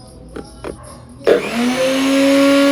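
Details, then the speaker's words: Nutribullet 600 Series blender after repair: the unit had failed to power on because a leak contaminated the inside and the micro switches, which were then cleaned. A couple of light clicks, then the motor spins up to a steady, even high whine and runs normally. "It's powering up. It's working fine now. I'm pretty satisfied with that."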